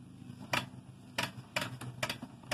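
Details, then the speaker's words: Ford 309 rear-mounted planter, formerly seized, with chain refitted and tensioned. Hand-turning the wheel gives sharp irregular clicks, about five in three seconds, from the seed hopper ratchet, which engages cleanly and works normally. "Hear it clicking? That's the seed hoppers clicking. And if we spin it backwards, we got good ratchet."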